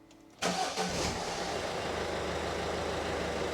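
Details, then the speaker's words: 2017 Citroen Berlingo 1.6 diesel, just started after oil and filter change: quick crank, fires at once, settles to steady even tick-over, no knocks or rattles, oil light out straight away; normal diesel start and idle. "So that oil light's gone straight out. All sounds good. Just let it tick over."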